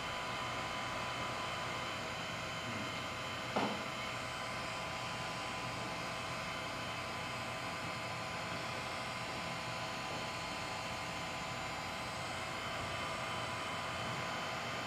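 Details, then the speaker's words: DLP projector found on the sidewalk, first power-on: steady airy fan rush with slight whine; fans change speed a couple of times but it never starts up; cause unknown. "heard the fans change speed a couple times it seems like we didn't need the front cover because it's just like it doesn't sound like it started up"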